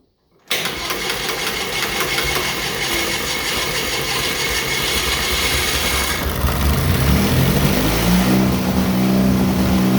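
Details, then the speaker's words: John Deere Model R tractor's pony starting engine, first start after the heads were torqued and new spark plugs fitted, with intake and cooling not yet reconnected. After some pops it catches cleanly into a busy, even chatter that builds with speed, no knocks; normal running. "all right sounds good to me"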